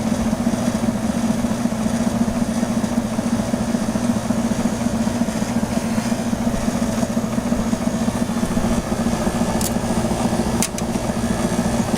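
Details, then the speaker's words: Emerson Quiet Cool 6300 BTU window air conditioner on cool, low fan: constant low rumble with steady hum, likely the fan motor bearing, getting louder over time; compressor sounds fine. "fan motor is pretty quiet at first but it gets louder after a while with that compressor sounds great probably hear that rumbling coming from the fan motor bearing"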